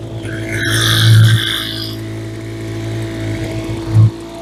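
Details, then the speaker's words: Roadside-found Troy-Bilt TB25C two-stroke blower (about 25cc assumed), started with primer and choke: a steady buzzing idle with two brief throttle blips that rev cleanly and drop back. It idles normally. "Oh, it idles now. Two for two today."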